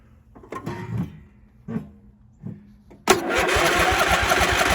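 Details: Husqvarna YTH22V42 riding mower, battery charged to 12.5 V, new spark plugs, fuse good, fuel reaching, choke on: a few weak clicks then steady even cranking with no firing; cranks but won't start.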